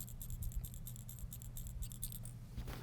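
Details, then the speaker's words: Keihin butterfly carburetor (pre-1988) accelerator pump cap check valve shaken by hand: crisp light ticking rattle about five taps a second, ball moves freely, not stuck; if no rattle, grunge or corrosion blocks the pump, so reclean in carb or ultrasonic cleaner. "if the check valve is stuck with grunge or corrosion the carb will never run right because you won't have an accelerator pump you'll never see it squirt when you give it a handful you can hear the check ball hear that"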